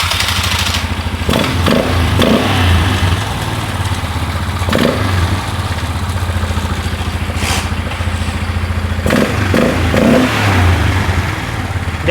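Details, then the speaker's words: 2001 Polaris Scrambler 500 2x4 ATV idling: a tinny metallic clatter rides over the idle and flares with each throttle blip. A loose exhaust piece is rattling; it needs a spring fix, not yet done. "I bet you you're right cuz this Look, this thing is I Yeah, it's that thing rattling. Okay. Which I got a spring to fix it, but I don't want to mess with that right now."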